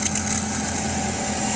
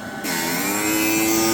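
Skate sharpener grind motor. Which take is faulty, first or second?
first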